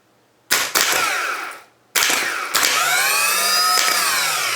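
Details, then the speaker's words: Rebuilt starter motor for a Volvo EC14B/EC15B mini excavator, solenoid hold-in coil wire repaired, bench-run: two sharp engagements then a smooth, free, even high whirr with no grinding or dragging; normal starter motor spin. "That sounds nice, doesn't it?"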